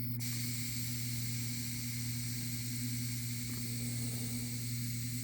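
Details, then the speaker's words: Commercial HVAC pneumatic thermostat, set-point dial turned to call for cooling: soft steady airy hiss over low room hum as air pressure builds to an actuator above the ceiling; normal operation. "It's building the pressure, that's building the pressure up to an actuator somewhere above the ceiling."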